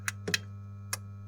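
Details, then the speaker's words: Rowe-AMI R88 jukebox lights on a smart switch: relay clicks on and off over mains hum but the lights get no power; fault downstream, cause unconfirmed. "I can hear the switch clicking on and off but I have no lights so we have a problem"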